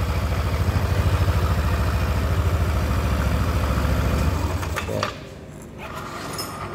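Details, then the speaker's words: Scooter with crankcase cover removed, engine running and pulley turned in reverse: steady low rough grumbling throb about three and a half beats a second; roughness traced through the transmission to a worn secondary pulley bearing. "Nah, di sini masih ngaguruh teman-teman. Suaranya masih kasar sekali, dan kita coba nyalakan dengan kondisi motor dinyalakan. Nah, kita putar ke arah berlawanan, suaranya kasar."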